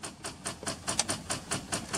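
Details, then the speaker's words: 2004 GMC Yukon Denali XL AWD, 125,000 miles, with a recently replaced battery and fuel pump: rapid even clicking, four or five a second, with no crank; the engine won't turn over, cause unknown. "now it's just clicking now it won't turn over at all hear that clicking"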